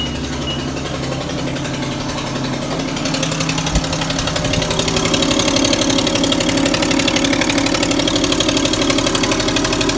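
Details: 2010 Infiniti G37S coupe petrol engine at cold start: steady knock of about four beats a second that goes away after about 20 seconds; owner asks for a solution; cold-start engine knock.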